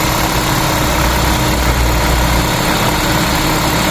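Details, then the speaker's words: Toyota Corolla Altis 9th gen at warm idle with AC on, after transmission fluid change, alternator bearing recently replaced: constant droning hum over the engine, absent with AC off; noise traced to the AC compressor, not engine, water pump or tensioner. "yung ingay na naririnig nyo, hindi na yung galing sa makina, hindi rin galing sa water pump at doon sa tensioner. Aircon, compressor na po yan."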